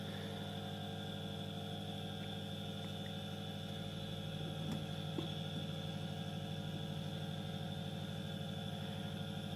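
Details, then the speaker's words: Second small 230 V single-phase induction motor, unloaded, on a homemade variac at the stated maximum voltage, about 300 V: smooth steady hum, no knocking; slightly more vibration when pressed down. "I pressed it down a little bit on the surface yeah a little bit more vibration just as the with the previous one so this is the rated maximum voltage"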